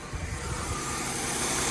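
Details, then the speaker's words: Mercedes W204 after belt tensioner replacement: steady even idle, no squeal or chirp, accessory drive quiet; belt now runs deeper instead of at the pulley edge as before. "но сейчас вроде хорошо то что и ремень уже вроде бы как если сказать он не с краю как"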